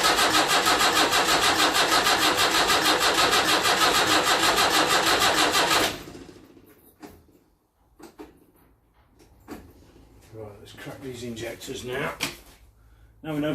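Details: Land Rover Series 3 2 1/4 diesel at first start after rebuild: the starter cranks steadily at three turns a second for six seconds without catching. The injectors are cracked afterwards to bleed them, and the battery is running down.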